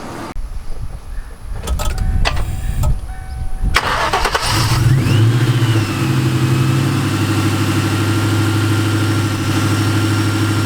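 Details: Nitrous Mustang after fitting a new belt idler pulley and tensioner to cure a new engine noise: the engine catches and settles to a steady, even idle with no squeal, chirp or rattle from the belt area.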